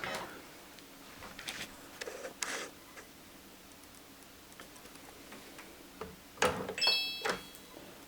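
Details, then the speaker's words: Sega Saturn CD drive with a disc loaded: faint, irregular light ticking about twice a second as it checks the disc format and never reads it; laser suspected, not confirmed. "checking disc format it's making a lot of noise okay play hate that"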